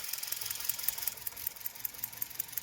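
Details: Hyundai i20 petrol after replacing a melted, misfiring ignition coil with a new one: light, quick, even ticking over a smooth idle, no stumble; all cylinders firing, normal idle.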